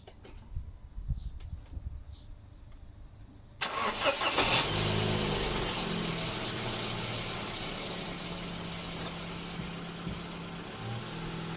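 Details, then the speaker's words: Ford Fiesta Mk7 1.25 after swapping out a flood-damaged engine for another: quiet, then fires at once, revs briefly and settles into a smooth even idle with no knocks or rattles; normal start and idle. "engine's all running sweet so it's been a quite a successful engine change actually to be honest"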